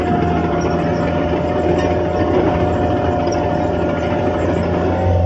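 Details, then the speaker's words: Late-1980s Caterpillar 943 track loader diesel at full throttle driving up and down a steep hill; loud steady high-rev roar, unbroken with no stumbles or surges, no hesitation from motor or transmission; normal healthy run. "All right, like I say, no jarring, no hesitation from the motor or transmission. It all runs good."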